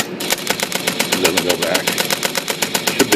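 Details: IBM Selectric II rotary backspace, key held in 10 or 12 pitch: rapid even clatter around four per second, but the carriage doesn't step back every time; backspace stalling, adjustment needed, bad driver pawl suspected.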